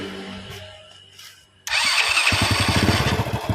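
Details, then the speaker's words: Honda Grand motorcycle after carburetor service and cleaning, valve clearance reset and CDI work; before, it was hard to start with an unstable idle: the double starter catches at once and it settles into an even, steady idle thump; normal start. "Yes, I use double start, it turns on straight away, test the gas, we'll try it."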